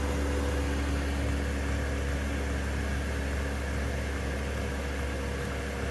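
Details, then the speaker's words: Diesel heater, warm, turned down to setting 3 (medium), mic about 14 inches from pump, no sound deadening: steady low fan and burner roar easing slowly up and down; running normally, appears quieter than many others. "It goes up and down kind of slow. You can hear it ramping."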